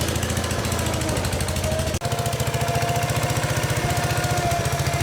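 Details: Case 222 lawn and garden tractor, sat for years, revived: quick even thumping holds a steady beat and picks up slightly with throttle, running smoothly.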